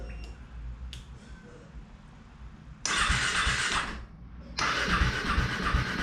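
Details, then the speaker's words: KTM RC 390/Duke 390 after a coolant change, started with the radiator cap off. Two long bursts of starter cranking, steady whirr, no firing. Battery had been removed days earlier and the bike washed. "okay so as you guys just saw me struggling to get this bike started"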